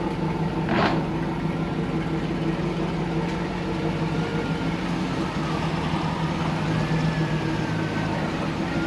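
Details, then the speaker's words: 2002 Pontiac Trans Am after a swap to a fresh 6.0L LQ4 V8, replacing a 5.7 with a hole in the block: deep, even idle rumble with no knock or tick. The engine sounds healthy. "This thing sounds so goddamn good."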